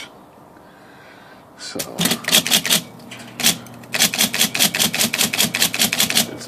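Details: IBM Selectric typewriter after dual impression control cable replacement: quick bursts of crisp keystrokes, two or three a second, each strike firm and even; typing normally.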